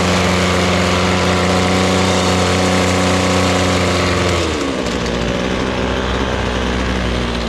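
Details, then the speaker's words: Ryobi small two-stroke with an attachment just fitted: holds a steady buzzing speed, then drops smoothly to a lower even run with no misses or rattles; healthy engine. "Crank it up. Let's fire this bad boy up. Had no trouble cranking it. It's good."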